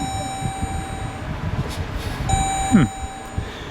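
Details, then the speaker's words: Rebuilt wrecked 2021 Dodge Durango SRT Hellcat with a supercharger, new belts and a 180-degree thermostat, at first start-up. The engine cuts out while a high chime repeats in short bursts: the not-in-park warning. "Oh, I know why we're shutting down. It's mad that it's not in park."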